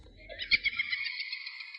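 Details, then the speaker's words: Residential electricity meter box: thin kettle-like whistle near 2 kHz with a higher overtone, rising briefly and wavering, occurring intermittently; source unclear. "什么动静啊？这电表箱怎么叫，跟烧开水那个壶似的？"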